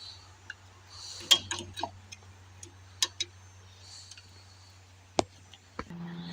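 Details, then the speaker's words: 1970s 20 kW propane generator: the fuel solenoid is bypassed by wiring it to battery positive through jumper cables, forcing it open. Scattered uneven sharp clicks over a low hum, with a loose connection. "I just put the jumper cables right to the Rambler. And so I should, you'll hear a clicking sound."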